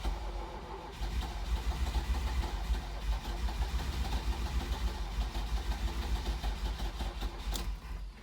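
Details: 1983 Ferrari 308 under rebuild, tried after battery recharge following flat battery: quiet, uneven turning-over for several seconds that never catches into a run; cranks but won't start, wiring being investigated, cause not confirmed.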